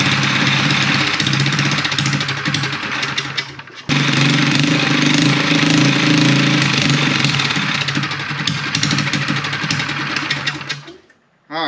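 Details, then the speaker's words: Mini chopper single-cylinder with new fabricated 304 stainless exhaust, VM22 carburetor, stock air box, not rejetted, started on choke: steady popping about four beats a second, brief stall and restart; even, not-too-loud exhaust, normal running. "it sounds good it's not that loud I thought it was going to be louder but uh it's good I am happy with that"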